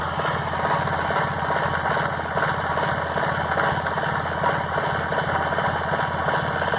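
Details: 1998 Honda Accord: uneven, lumpy idle with a loose shuffling beat of two or three a second over steady engine drone; revs 2,000–3,000 rpm with slight throttle then drops back; plug wires recently replaced; rough idle, cause unclear.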